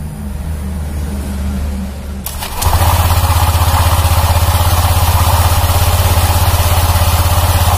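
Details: 2019 Honda Vario 150 scooter, fairly new: after start-up a deep, steady snoring growl under idle from the CVT belt drive, also rough when pushed; worn CVT clutch or pulley, replacement recommended.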